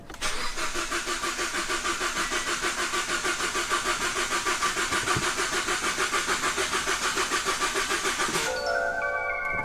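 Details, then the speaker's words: Kia Ceed GT with misfire, after four new coil packs fitted and fuel pump primed following intake and injector removal, cold start attempt: starter cranks evenly about three beats a second for eight seconds, never catches. Crank no start, cause unknown. "and it is not starting um it didn't miss fire"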